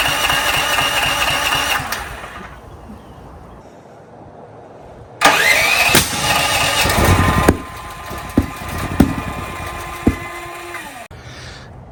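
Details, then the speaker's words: Brand-new DuroMax XP13000EH dual-fuel generator, break-in 10W30 oil, never started: cranks and catches roughly, then loud shotgun-like bangs. Backfire on starting from a faulty spark plug, fixed with an NGK plug replacement. "So, it's like a shotgun, so I don't want to make my neighbors upset."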